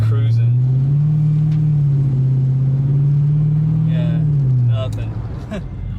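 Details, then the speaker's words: Rebuilt 2018 Dodge Charger police car with a ProCharger supercharger and new PCM, pedal to the metal: engine drone barely climbs, holds a flat low pitch, then sags; bogging, fixed once ProCharger sent a new tune from the stock files. "yeah she's definitely bogging something's up with yeah I had the pedal to the metal"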